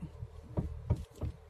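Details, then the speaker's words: 2004 Honda City, steering wheel turned at standstill during used-car inspection; dull low clunks about three times a second, very bad, pointing to a worn steering rack; suspension also needs checking. "Teksturnya sudah sangat parah. Perlu dicek untuk kaki-kakinya. Bunyinya sudah sangat parah."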